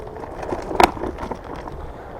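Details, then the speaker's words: Evercross H5 800-watt electric scooter trail riding in gear 2: light, quick tapping rattles over the rough-trail rumble, with a sharp clack on a bump. A loose fender is chattering. "That tat in your ear is my fender."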